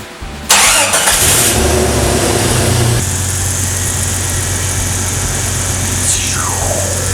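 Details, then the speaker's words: 2000 Jeep Cherokee XJ after swapping in a 2006 Jeep TJ 4.0 inline-six: quick crank, catches at once and settles into a smooth, steady idle with no knocks or misfires; healthy start and idle. "You probably want to hear it start and run, in case I'm like lying to you in this entire video."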